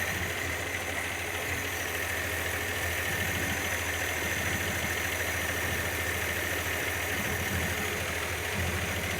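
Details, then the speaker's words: Engine just restarted after head gasket, reconditioned head, water pump and hoses replacement idles with a slightly uneven, lumpy beat under a constant hiss; running rough, possibly vacuum leak or broken secondary, unconfirmed. "no it's running a bit rough oh why is that cool what ah what it's full of fuel the secondary broken yeah"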